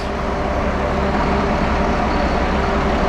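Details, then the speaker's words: 1974 Allis Chalmers 7080 tractor diesel after fuel system air bled from the injectors and hydraulic leaks repaired: deep, steady chug at a fast even idle with no knocks, misses or rattles; running smooth and healthy. "You hear that? That's the sound of success."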